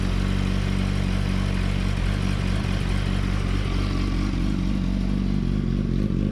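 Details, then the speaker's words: 2007–2008 Yamaha R1 idling with the microphone close to the clutch, after the slipper clutch retaining springs were shimmed and welded to cure the clutch rattle. Low, even idle with no rattle or chatter; the clutch works fine. Normal idle. "No issues there, clutch works fine. Perfectly good, she is good to go."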